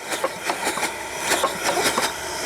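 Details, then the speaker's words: Soule steam engine, first run in years: sharp light clacks about six times a second, in time with each revolution; loose lead in the crank counterweight knocking. "You can hear my lead in there. Just ignore the noise of that."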